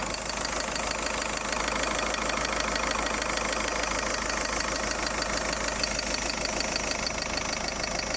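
A constant airy hiss rides over a quiet, even idle with no change across the clip; the source is unknown.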